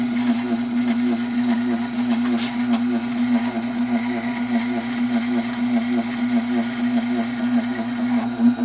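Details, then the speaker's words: Tormek SG-250 sharpener running: steady low motor hum with an uneven, wavering rumble over it; it still sharpens, but the extra noise seems abnormal and the owner suspects the grinding stone. "well there is something there I don't know what it is it's really got me puzzled like I keep saying it's not that it's not working but I don't think it's supposed to sound like that"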